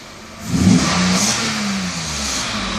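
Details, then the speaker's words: 1992 Mercedes S600 V12, early production, both throttle bodies repaired, not in limp mode, air pump running: quick clean rise from idle and smooth settle back without hesitation; throttle responds normally. "actually while at it let me just show you the gas response when the car is not in limp mode so right now idle speed very nice gas response [Music]"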